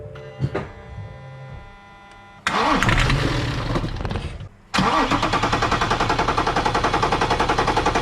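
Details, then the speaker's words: BMW X5 N57 3.0L diesel being checked for rising oil level from leaking injectors; reassembled with lines tightened, started without bleeding: brief cranking, catches, settles to an even, steady idle clatter; normal start. "Normalement ça démarre bien là-dessus, la pompe elle est vachement grosse, donc elle débite bien, et normalement ça démarre direct."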